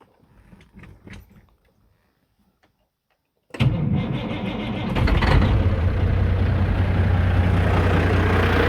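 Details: 1997 Peterbilt 379 with Cat 5EK diesel, after moving cam/idler gear (shaved block, timing off) hunting a missing gear tooth: cranks, catches, loud idle with steady clatter; possible gear train noise, nothing clearly distinct.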